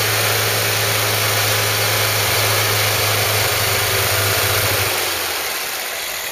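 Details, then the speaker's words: Ford Cortina Mk3 with newly rebuilt 2.0 Pinto engine, after slightly rotating the distributor to improve the sound: steady even low hum, smooth tick-over easing off near the end; normal idle. "I just rotate slightly on the distributor here we're going to turn it till we get a better sound just for now and then we'll do some more high reps and just see what we get so straight in there sound good alright and here we go"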